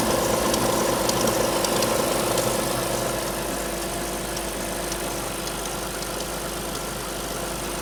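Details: Alfa Romeo 156 V6 in for timing belt replacement, cold start: cold idle with regular tick about three times a second and a faint whine on top; two distinct abnormal noises heard only cold, not noticed warm on arrival, source unclear.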